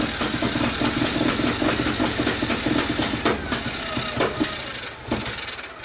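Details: 1959 Harley 74ci panhead, new build with 38 Mikuni carb, kickstart tune-up after very hard starting: loose loping beat over rough mechanical clatter, settling lower near the end; keeps running steadily.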